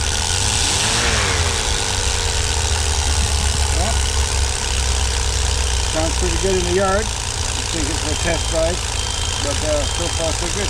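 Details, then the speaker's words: 1988 Dodge B250 Roadtrek van, 318 TBI V8, after replacing both throttle-body fuel injectors and temperature sensor to cure rough running and stalling: low, steady, even idle burble with no misses; normal idle, running smooth. "quite an easy job take it for a ride working really well wearing smooth well worth doing"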